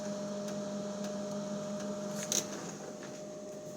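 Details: Whirlpool fridge: steady electrical hum at about 620 Hz and 800 Hz from the freezer drawer section; grandpa suspects the humidifier fan, the owner doubts it, cause unknown.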